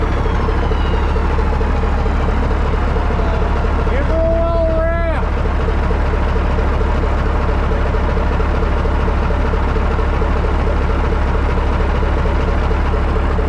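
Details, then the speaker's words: 1980 Peterbilt 359 EXHD with Caterpillar 3408 diesel, left sitting for years, lights right off; low steady throb with an even regular beat, no misses or knocks, smooth idle. "Wow. Holy shit, fellas. It just lights right off."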